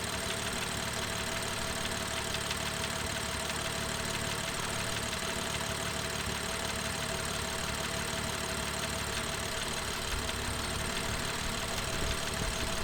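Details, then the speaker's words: BMW M2 with N55 engine, cold-start warmup: steady idle with loud quick tapping from exhaust camshaft valvetrain, loudest around 45–50° oil temperature, fading near 55°; fixed under warranty. "so as you just heard um it definitely didn't sound right um the engine was tapping loudly from the exhaust camshaft um area"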